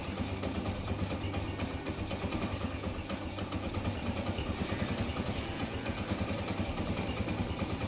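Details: Kawasaki Bajaj CT100 single-cylinder after timing chain replacement: steady even idle, earlier internal grinding gone, no chain rattle from top end; quiet, healthy normal idle.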